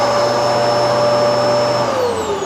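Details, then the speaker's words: Genesis upright vacuum, brush roll running normally: a steady high motor whine with even airflow hiss, then the pitch sags as it winds down. The thick brush spins freely, strong enough to separate thick carpet fibres. "because it's nice and thick and it's spinning at the power it's spinning it means it doesn't stop for anything and on those um very um or thick carpets it's more powerful enough to separate the fibers to ensure that it's sucking the dust from the base"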